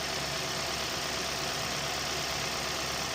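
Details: 2014-2016 Hyundai Sonata with code P0128, after thermostat and coolant temperature sensor replacement: warm engine holds a steady even idle under loud full-heater blower hiss, no knocks or misses; normal idle.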